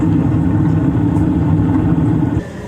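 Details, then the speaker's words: Carrier gas furnace after inducer motor replacement and drain trap cleaning, running 10 minutes: trap filled with no code 31 flash or light; steady even low hum with no gurgle, rattle or scrape; normal running. "okay we've been running for 10 minutes now that trap's filled up no light we're good to go"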